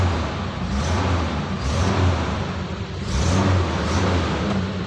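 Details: 1990 Nissan Safari after its crank no-start fault is fixed: the revs rise and fall smoothly in even blips about every two seconds and pull cleanly without stumbling; it runs normally.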